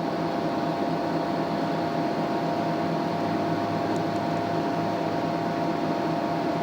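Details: TDI Dynaload 100-300-2000 (RBL488) 2 kW electronic load, reassembled after full teardown, cleaning and maintenance, in constant-resistance tests near 2 A while the voltage is lowered: smooth, steady cooling-fan whir with no rubbing, ticking or wobble; fans normal.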